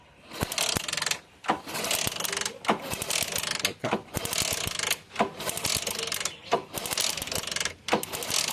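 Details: Motorcycle kick-start cranking without starting: repeated kick strokes about once a second, each a ratcheting mechanical whirr, engine never catches; cause suspected, not confirmed.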